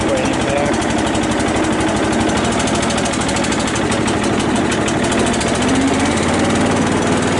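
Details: Cub Cadet LT 1018 lawn tractor, 150 hours, driving back and forth after long sitting: small single-cylinder engine holds steady, even chug with no knocks or misses; runs healthy.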